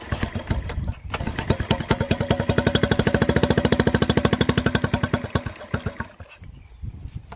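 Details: Mercury 3.5 hp four-stroke outboard after a carburettor rebuild and a new fuel tap; it previously would not start or tick over. Now it catches after a brief crank and fires in quick, even beats for about five seconds before winding down, running cleanly.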